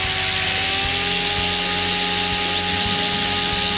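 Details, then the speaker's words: Goblin 500 electric helicopter, Castle Talon 90 ESC reprogrammed to Heli Fixed End Point mode: high steady motor whine climbing quickly near the end as head speed rises, no roughness; mode changes clean, reprogramming fixed the problem. "back down and back to [Music] normal spin it back down it looks like that took care of the problem"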